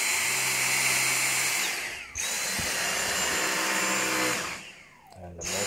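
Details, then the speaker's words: Dyson V6 cordless vacuum after full disassembly and cleaning, no longer smelly: steady high-pitched motor whine, cut off briefly and restarted, smooth with no rattle or grinding; normal, strong running. "so here we have it Dyson V6 completely restored cleaned out and it's strong and they no longer have that smelly smell"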